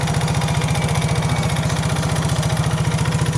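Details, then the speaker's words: Yamaha Mio J fuel-injected scooter with lost compression, after oil added and bolts retightened, compression slightly improved; starts (injector fine) but runs with a fast, uneven, harsh chuffing idle at about four pulses a second, running rough. "Kemudian kita nyalakan, ini tutup kontak sudah on. Nah, nyala kan, tetapi suara mesinnya kasar ini guys."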